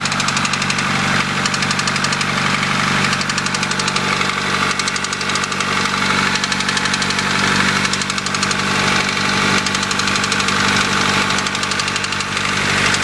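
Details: 1992 Honda Accord at a steady idle, oil and coolant just topped off, with a sharp, even tick about four times a second. The owner is unsure whether it is rod knock or something needing adjustment; undiagnosed.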